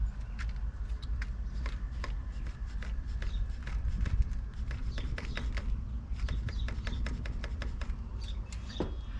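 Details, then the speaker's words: Giant Crest 34 fork on a new Giant Fathom 2, warm after sitting in the sun: sharp dry clicks from the right fork leg, mainly on fast rebound not compression. "it seems like the noise is most notable on the rebound stroke so when you compress the forks in you don't hear it but if you let the rebound let the forks rebound really quick you can really hear a click"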